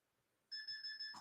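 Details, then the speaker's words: DCC model railroad command station output deliberately shorted during a circuit-breaker test: four quick high-pitched beeps, then a click as all power cuts out; the short circuit warning is working. "Beep, beep, beep, beep. 1, 2, 3, 4. That was a short."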